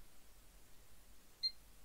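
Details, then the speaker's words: Desktop PC with an Asus H97M-E, i7-4770, 16GB DDR3-1600, which previously powered on but would not boot: one short, clear POST beep at power-on, then boots normally. "bleep yeah i'm gonna get a picture here yeah it's working"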